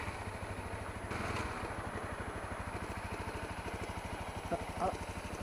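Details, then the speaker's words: Honda CRF250L with EJK fuel controller, knock only in first ~5 minutes of riding, heard at stops regardless of clutch, fading within minutes: rapid steady ticking knock over the idle. "well I hope you can hear that now that'll go away in about um a minute maybe it's gone away already so it's very short live but it's um as you can hear if you can hear it well uh like I can it um it doesn't sound too pretty so it worries me"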